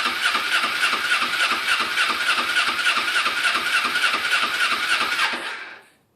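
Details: Kawasaki Ninja 250R dual-carb motorcycle after carburetor cleaning, fresh fuel: fast, even buzzy idle with no stumbles until shut off; carbs feeding it fine, normal idle.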